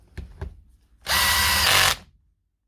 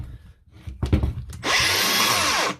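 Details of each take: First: Power tool after motor reassembly with new brushes replacing badly worn, crumbling ones: five short bursts of high motor whine, each starting crisply and running evenly without sputtering or cutting out; running normally. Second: Makita DGA angle grinder spins up to a harsh, gritty, rough whine, then winds down. The noise comes from a worn armature bearing; the fix is replacing the bearing.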